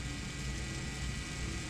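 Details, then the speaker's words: Engine off on a John Deere 6115M tractor, bleeding air after a fuel filter change: a steady low whir and hum with no pulsing as the electric fuel lift pump keeps running. There is no bleed screw, and it is unclear whether the pump shuts off. "you can hear it filling it up I can still hear it"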